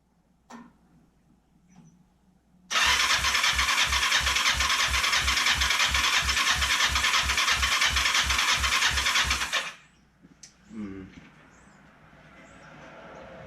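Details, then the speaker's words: Kawasaki Ninja 500 with spark and compression, choke on: about seven seconds of even cranking at roughly three strokes a second with no firing attempt at all; fuel starvation; crank no start. "It's not making any attempt to start."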